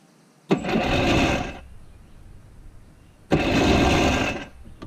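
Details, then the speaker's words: 1992 Yamaha WaveRunner WR500, previously seized engine after WD-40 soaked in cylinders, jumped from car battery: two cranking bursts about a second each at even quick rate without binding; seems unseized, normal cranking. "Hear that? Sounds like it's unseized."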